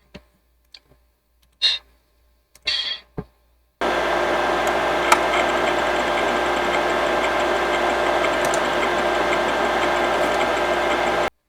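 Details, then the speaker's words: Imation LS-120 SuperDisk drive, bought used, writing a regular floppy: steady whirring motor with faint, evenly stepping head ticks, no grinding or retries; reading and writing decently and reasonably quick. "So it looks like it's reading and writing pretty decently with a regular floppy for that SuperDisk drive. I'm doing it reasonably quick."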